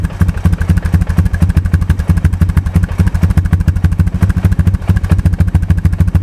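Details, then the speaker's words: 2002 Honda TRX250EX Sportrax quad, first start after 10 years outside and a blown fuse replaced; fast, even knocking over a lumpy idle, traced by stethoscope to the clutch side; clutch adjustment hoped to fix, cause unconfirmed. "it's running pretty good right now but the engine is making a knocking noise and i was concerned i used a stethoscope and i can tell it's coming from up here which is where the clutch is"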